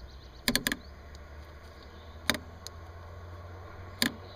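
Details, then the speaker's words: Bosch idle air control valve from a Porsche 944, bench-tested with alligator clips: sharp clicks as the valve snaps open and closed each time power is applied; actuator moves freely, normal. "it'll open and close so that's how you test them you can even do it while it's on the car"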